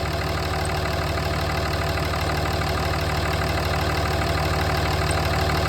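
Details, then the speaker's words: 2007 Dodge Ram at idle with a newly installed belt tensioner: quick high-pitched even ticking about three times a second over the engine; the new tensioner is clicking. "It's already clicking and making noise. I know it's hard to hear because of the noise of my truck, but you can hear a high pitch quick clicking sound."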